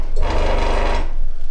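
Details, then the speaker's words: Old Craftsman 23-inch scroll saw at high speed: a fast, heavy reciprocating thump with a loose buzzing rattle as the saw visibly vibrates. The blade clamps are suspected as one of several causes. "well that clearly is vibrating it's not like a pegas um if you have a pegasus pegasus another scroll saw and they don't vibrate well pretty much they don't vibrate they're very good indeed"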